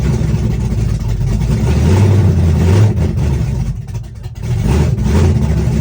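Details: Chevrolet S-10, first cold start of the day, open headers, Holley red electric fuel pump, cam about .480/.488 exhaust lift, ~297° advertised duration: loud, choppy idle with loping pulses about four a second, no knocks or misses; normal big-cam idle.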